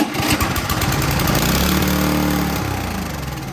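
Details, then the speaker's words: Toro Power Clear single-stage snowblower that won't start, carburetor loosely bolted and starting fluid sprayed, no choke, pull start: quick pops catch briefly then fade; fires on starting fluid only, so carburetor cleaning needed. "We're not going to choke it. We're just going to pull and make sure it fires."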